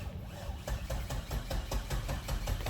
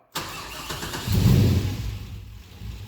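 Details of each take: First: Nissan 240SX S14 with LS1 V8 swap and T56 six-speed, abandoned several years: even starter churn about five compression pulses a second, turns over but never catches; fuel pump not heard kicking on, suggesting fuel delivery problem. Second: Nissan 240SX S14 drift car with an LS1 V8 swap and T56 six-speed, abandoned in a trailer, first start: quick crank, catches at once, one strong rev dropping back to a steady lumpy idle; a normal start and rev.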